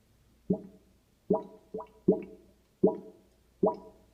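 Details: Kitchen sink drain gurgling with hollow plops and glugs in uneven bursts about once a second; later belched dirty drain water; owner suspects a backed-up sewer, uncertain.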